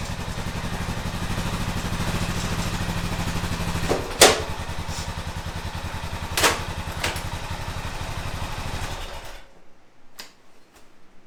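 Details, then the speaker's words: 2005 Honda TRX650 Rincon, 650cc single-cylinder four-stroke, on a test ride after a no-start: steady, even thumping with a few clunks, pulling cleanly. It runs well; the carburetor may need slight fine-tuning. "there we go it's running good I think the carburetor needs just a little bit of fine-tuning adjustment but other than that it runs"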